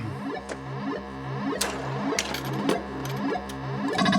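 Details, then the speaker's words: Bally Eight Ball Champ pinball after wiring repair, during play: clean, undistorted synth tones and speech callouts ring out steadily with no crackle, hum or dropouts; sound board output normal and clear. "Yeah, hear how clear the sound is?"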